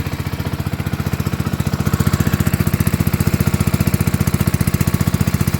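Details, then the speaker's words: New Warton 8HP pump engine at first start, warmed briefly: fast even single-cylinder putter deepens and grows heavier because an open cap puts the pump under load; audible change in tone, engine labouring under load. "Oh, this cap's open. That's why it's under load. Hear the change in tone?"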